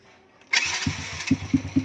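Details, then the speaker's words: Honda Wave push start after the starter chain was replaced, battery reading 12.2 V: a quick starter whirr, then the engine catches at once and settles into an even idle with steady low pops. It starts on one click, now normal. "So, ayan na. One click na ang kanyang push start."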